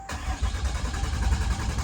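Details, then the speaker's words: 2012 Ram 2500 6.7L Cummins turbo diesel with electronic fuel pump, cranking right after a fuel filter change: low, steady chugging crank for two seconds with no catch yet as the new filter canister fills and purges air. "and it's going to take a second to fill that whole canister with fuel and I'm not going to let it crank for a super long time that'll wear out my starter motor"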